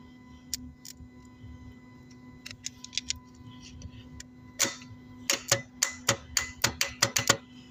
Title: symptoms of bad starter solenoid is clicking so on this case brushes are finish#short